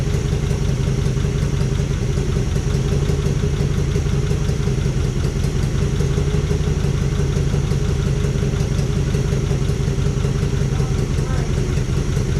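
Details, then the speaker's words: 1955 DeSoto Firedome Hemi V8, first start after decades in storage, running on its own fuel tank: loud idle with an uneven, stumbling exhaust beat as cylinders misfire. "yeah we got to figure out which one ain't firing I'm not sure"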